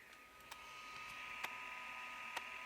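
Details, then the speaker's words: 1984 Sony WM-F10 miniature Walkman being refurbished (works only with headphones plugged in): sharp clock-like clicks about once a second over a faint tape-running hum. The mechanism is unusually loud; owner guesses it is just the internal motor. "sounds like a clock ticking I'm not really sure why it's so loud I guess it's just the motor that they use inside"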